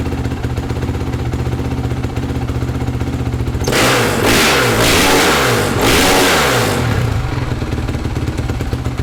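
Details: 2008 Honda CRF450R with new engine, reassembled after the kickstart was skipping teeth (owner suspects internal kickstart gears); single-cylinder thump at idle, several sharp throttle blips rising and falling cleanly, back to steady idle; normal running.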